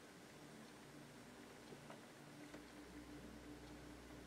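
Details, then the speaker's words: Amplifier with turntable setup: a steady low mains hum with a faint higher buzz under static hiss. A metal shielding plate under the amp didn't help, but hum and static disappear with grounding. "The fact of the matter is the static and the hum both go away when I ground this"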